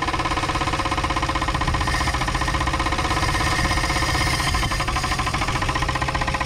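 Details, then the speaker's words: 1962 Chevrolet Biscayne, 235 Blue Flame inline six, 3-speed column manual, sitting in a field since 1969, first run. Loud, rough knock at about four per second over an uneven idle. The engine knocks badly and the cause is unknown. "well she's running that exhaust is good oh yeah you can definitely hear how bad she's knocking over here though"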